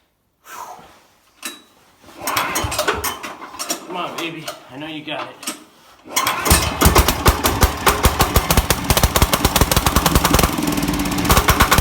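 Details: 1969 Sears Suburban 12 garden tractor with a 10 hp single-cylinder diesel, first cold start by hand pull on a new intake manifold and 1" NPT exhaust adapter: after rough pulls it fires and settles into a quick, sharp, steady popping beat, not very loud; running normally.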